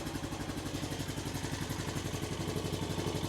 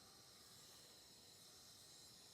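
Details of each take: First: From what I can tell, the engine sounds pretty decent. Not seeing a bunch of smoke yet. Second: 2000 Honda Foreman 450 ES, engine out, during a leak-down test: steady soft hiss with the engine off; 30 psi applied holds only 20, with air heard escaping past a leaking exhaust valve.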